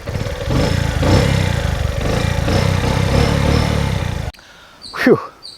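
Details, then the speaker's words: 2006 Bajaj CT100 just push-started after standing almost a year and having its spark plug, coil and CDI electrical fault fixed: loose, irregular putter at idle that never settles before cutting off. The owner suspects the carburetor needs cleaning. "the way it's idling i think the carb needs cleaning because it's been standing for almost a year"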